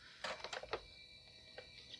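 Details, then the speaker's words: IBM PS/2 L40 SX laptop (1991) at first power-on, leaking capacitors, blank display: hard drive spin-up then short light floppy head ticks and chatter, sounding like it's trying to boot. "oh the floppy drive just seeped it sounds like it's booting"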